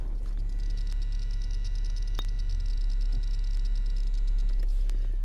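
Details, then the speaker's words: Hummer H3 with Monsoon amplified audio, PAC RP3-GM11 adapter installed with RCA ground-loop and DC inline filters: fast steady ticking through speakers about three times a second plus faint alternator whine; replacing with Axxess GMOS-04 fixed it. "you can hear this ticking sound which is very annoying"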